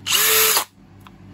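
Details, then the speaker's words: Bosch GSB 18V-90 C cordless drill, Control Precision Clutch active in torque position 5: steady high whir, then a clean dry stop in half a second with no ratchet clicks, normal electronic clutch stop. "the machine will not rattle, it will simply stop us, you see, with which in position 1 you will see that the tightening torque is only when the machine is forced out dry and we do not hear that ratchet"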